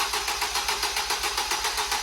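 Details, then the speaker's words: Fire-damaged Ford Fiesta ST 215 being rebuilt, first start attempt: quick even starter whirr with no firing at all. The engine turns freely but won't start because the petrol had been drained out; they plan to add a gallon and retry. "a good ah stop we took all the petrol out schoolboy we drangle the fuel out of it we'll put a gallon in and try that again"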